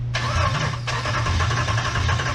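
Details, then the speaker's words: Replacement Hemi V8 in Jeep, coil packs unplugged and fuel pump relay pulled to turn over for oil pressure without washing cylinders: steady starter churn with rhythmic pulsing, no firing. "oh it's cranking still good you're only going to crank it for like two more seconds and then we're plugging the coil packs back in"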